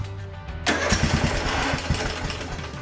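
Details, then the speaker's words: Craftsman DLT3000 42-inch lawn tractor after replacing an ignition switch with bad internal contact: quiet cranking, then it fires right off and settles into an uneven but running idle; it still needs a real choke. "fired right off there needs a real choke though to actually get going"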